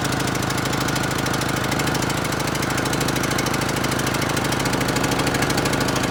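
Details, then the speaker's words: John Deere L100 riding mower that previously wouldn't run, first start with starting spray, smoking: small single-cylinder lumpy, uneven, clattery irregular firing; rough running, owner suspects bad fuel. "ties are really flat and it doesn't sound right but that's tomorrow I think it's got bad fuel by the smoke and everything"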